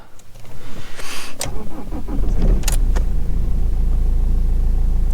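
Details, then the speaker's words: 2004 BMW E46 320d Touring diesel, 110,000 miles, unstarted for about 10 days and low on diesel: quick cranking, then it catches and settles into an even diesel clatter; clean normal cold start, no warning lights. "Starts alright. Bear in mind this car hasn't been started for about 10 days."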